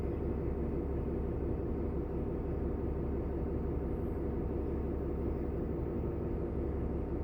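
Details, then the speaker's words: Bus air brake test, compressor building from 85 to 100 psi, needing to reach it within 45 seconds: steady, even low diesel rumble, no knocks or surges; normal air pressure build-up. "I'm at 85 PSI my 45 seconds starts from now it's at 85 so it starts at 85 that's what okay it must reach from 85 to 100 within 45 seconds"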